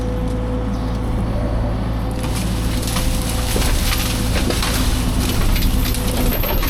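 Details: Fecon forestry mulcher after rebuild/overhaul, freshly greased, under load on a test brush pile: deep steady drone with crunching and splintering as brush is chewed; normal mulching.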